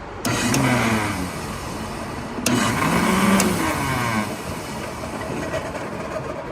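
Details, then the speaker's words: Vintage Rainbow D2 canister vacuum: motor switches on twice, running rough and loud with a wavering rumbling hum; severe internal mechanical damage found on teardown. "This is a Rainbow D2, and the motor is pretty noisy when we go to turn it on."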